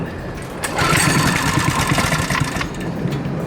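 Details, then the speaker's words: Coleman KT196 go-kart small single-cylinder engine, neglected for years, first start with idle raised and no governor: catches and runs unevenly with an irregular stumbling beat; choke found still half on. "looks like it uh oh you know what the choke is still like half on and stuff and the feels not even all the way out yeah well that's gonna cause problems"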